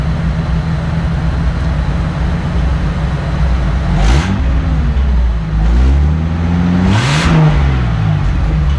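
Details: Datsun rally project during muffler delete, exhaust leaking and spitting at the rear; deep engine rumble swells and falls through two throttle blips with a rough, spitting edge.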